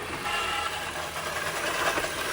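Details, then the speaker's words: 2017 Ford C-Max hybrid, HF35 transmission at end of life, started in shop: running drivetrain with irregular skipping clatter over the hum; transmission also squealing, due for replacement. "Now you hear the skipping."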